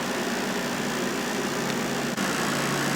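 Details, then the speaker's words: Rovsun 5000 BTU window air conditioner running: a loose, uneven buzzing rattle over the fan rush, caused by the side filter, since the rattle stops when the filter is removed or pressed underneath. "When I take out that filter, the rattling stops, so it has something to do with this filter."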